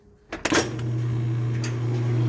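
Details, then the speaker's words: Whirlpool/Kenmore washer after clutch adjustment and transmission refit (temporary repair; previously tub would not spin): latch clunk, then motor hum settles into smooth steady drone as tub spins up evenly; spin cycle now working normally. "problema resuelto amigos ahí tenemos lo que viene siendo el centrifugado cosa que no estaba haciendo la máquina"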